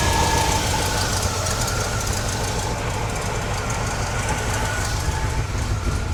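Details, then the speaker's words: 1969 GMC truck, small-block V8 with a used alternator charging near 13 V: rough, steady idle with a faint constant whine because the alternator belt is cranked too tight; it is then loosened. "I'm going to loosen that uh alternator a little bit just for the sake of it's really tight."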